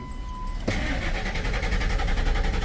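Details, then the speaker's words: 2002 Ford F-150 4-door with 245,000 miles and a check engine light, after an engine computer swap but before programming, starting only sometimes: a chime, then a steady, even starter crank that never catches; crank no start. "See, it doesn't want to start."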